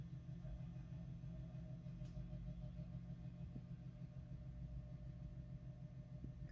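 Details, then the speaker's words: 1960s Sears/Kenmore model 344 electric space heater, just switched on: low steady hum and rumble as the fan starts very slowly and takes a long time to speed up; owner suspects fan bearings need cleaning of half a century of crud. "so put this right side up and we'll turn this on you hear it start up fan goes really slowly so listen up"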